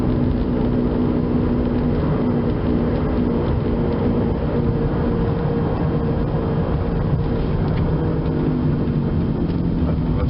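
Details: 2004 Chevrolet Impala driving: steady low growl under road noise that changes tone when steering, from worn driver-side front wheel bearing.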